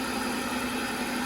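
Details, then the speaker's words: Audi 3.0 L supercharged engine (S4/SQ5) just after an oil change, cranked with clutch in: fires up perfectly and idles smoothly with a steady, even hum, no loud noises, banging, ticking or knocking; normal idle. "no loud noises no banging no nothing just fire it up so [Music] smooth you can let it run for a couple minutes like 2 3 minutes and then you can shut it off"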